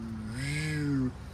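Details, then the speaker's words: Craftsman LT1000 lawn tractor fitted with a modified older deck: with the PTO engaged, the engine note climbs and sags within about a second, surging under load only and running fine without load; owner suspects the carburetor and throttle cable need adjusting. "because as you can hear it surges a little bit under load only but it runs just fine without load"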